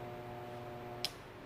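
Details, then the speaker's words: Garen 1 HP gate motor tested directly on mains in both directions: steady electrical hum with no rotation, cut off by a click; it won't turn either way, so the stator is burnt and gets replaced. "Não funcionou. Também não funcionou. Então, a gente já sabe que o estator tá queimado."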